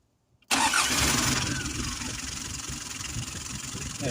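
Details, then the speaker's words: Car engine restarted after steering pump repair catches at once and settles into a steady, even idle with no whine or squeal from the pump; the pump had made noises on restarting after a roadside stop; normal start and idle. "halimiz hasna gayet güzel bir şekilde çalışıyor Böylece direksiyon pompasını yapmış olduk Herhangi bir sıkıntı gözükmüyor"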